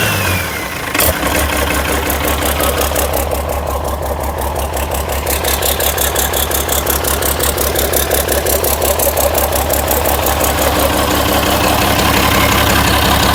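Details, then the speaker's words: International DT360 diesel for swap into 1973 Ford F250, block filled with water, fan and belts removed: steady even diesel clatter at settled idle, regular injector knock, no misses; healthy runner. "That's great. She's a runner."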